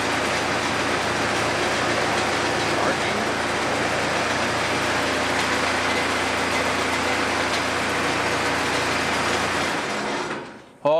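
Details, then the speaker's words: Cummins 4BT diesel in a 1968 Bronco, first start in a long time after topping off oil, water and fuel; earlier rough running (owner hoped air in fuel system, bled lines), now loud, steady diesel clatter with no stumbles or knocks; normal diesel running. "boy, she's noisy. She is noisy. All right, we'll let it sit for a little bit."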